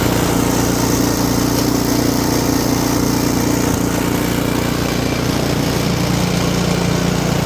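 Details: Simplicity snowblower bought cheap for repair, started after the fix to check it drives back and forth: steady mid-pitched single-cylinder chug at constant speed, even firing with no knocks or misses; running normally.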